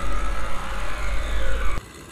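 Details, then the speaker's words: Caliper-type electric parking brake actuator driven directly with reversed-polarity power, no scan tool, to push it back in after rear pad replacement: low motor drone with faint rising whine under two seconds then clean stop; actuator operates normally. "so the actuator operated properly this is very safe for to actuate the actuator to release the parking brake if you don't have the scan tool"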